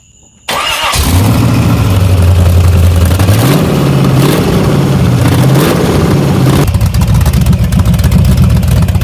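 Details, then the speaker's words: 383 small-block V8 in an S10 Blazer with MSD ignition, after replacing two burnt spark plug wires, including number six: catches and revs up and down smoothly with even firing and no miss; normal running. "yes sir now that's how she the sound so we wasn't even down just one cylinder we had two cylinders misfiring cuz we had two burnt plugs I me two burnt plug wires"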